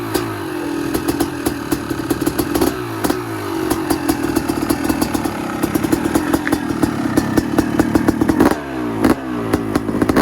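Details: Freshly rebuilt 250 two-stroke motocross bike at first start after a year-long rebuild: crisp ring-ding with sharp throttle blips, clean pickup and no rattles; healthy motor.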